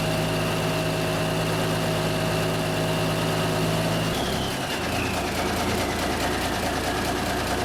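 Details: 1974 Kenworth W900A, Cummins NTA420 diesel, idling after three years sitting: big diesel holds a steady, deep idle rumble with no knocking or misses. Normal diesel idle.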